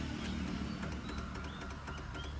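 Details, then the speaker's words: Swaraj 724 XM Orchard diesel tractor just after being washed with water: quick sharp indicator flasher ticking at about four to five a second over a low diesel rumble; abnormally fast, a symptom the owner says returns to normal afterwards. "इंडिकेटरचा जो आवाज येतो ना तो आवाज या पाणी मारल्यावर होतं. नंतर नॉर्मल होऊन जातं."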